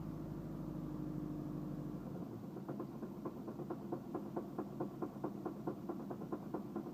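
After a stall and restart, a sharp, regular tapping of about five knocks a second rides over the quiet idle: a knock at idle.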